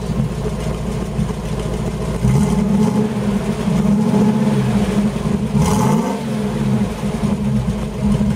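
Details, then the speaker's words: Old Holden Kingswood V8 (351/253 mentioned) running on LPG on a freezing night, started stone cold then warmed a bit; even deep burble with clean blip and smooth return, steam from exhaust; healthy revving. "lpgs a very moist burning fuel so you get a lot of steam moisture when it's cold and it's freezing out here tonight so that sounds so much better than the almost 6 L V8"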